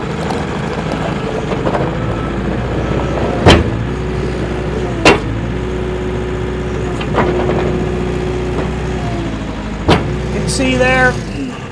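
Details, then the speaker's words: 2019 New Holland L218 skid steer, Shibaura N844LTA 4-cylinder 61 hp turbo diesel, 2,550 hours: uneven idle with an irregular lope, then intake pops at shutdown; misfire, running on two or three cylinders. Valve train or timing suspected. "there again feel it's running on two cylinders possibly three and right there you hear that popping noise when you shut it off do believe that is indicating it is something up in the valve train on this side"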